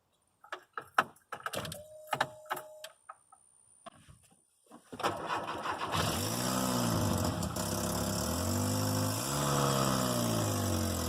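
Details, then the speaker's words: Petrol engine cranks, catches, then idles roughly, speed sagging and recovering every few seconds and nearly dying at stops; compression about 155 and plugs good; air is felt escaping, and a large exhaust leak was found. "it was not well felt sounded like it was missing some and yesterday i was driving around and it's like trying to die at you know stop light"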